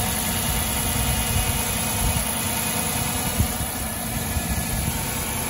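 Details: 2006 Dodge Charger after replacing all 16 spark plugs: even, steady idle rumble with no misfire stumbles or ticking; the engine runs smoothly.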